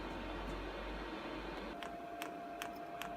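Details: Chinese diesel air heater, previously faulty, bench tested: sharp regular ticks, two to three a second, over a steady fan hum; pump clicking normally.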